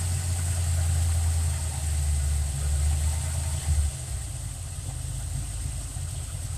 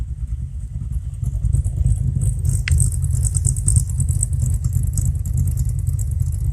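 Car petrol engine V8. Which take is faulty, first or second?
first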